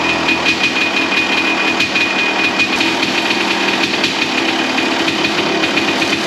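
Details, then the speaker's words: 1993 Honda CR250 two-stroke after crank seal and other repairs, at fast idle; sharp, raspy crackle with harsh popping; too noisy, owner thinks the muffler packing is worn and needs a repack. "A little noisy. We'll might have to address that now. I think it needs a muffler repack. That's a little too cracky for my liking,"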